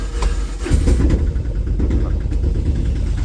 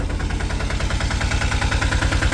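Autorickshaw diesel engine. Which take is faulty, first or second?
first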